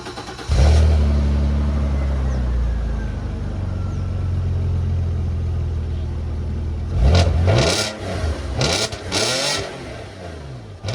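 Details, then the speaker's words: 2002 Audi A4 V6 cold start recorded from outside, just after a new exhaust was fitted at a muffler shop: crank, quick catch, flare to high revs, then a smooth steady fast idle with a crisper tone and no knocks. Normal. "It's not even that much of a difference from the inside, but wow, that sounds so much better. It's not even that much louder. It's just a much nicer tone. It's got a much crisper tone."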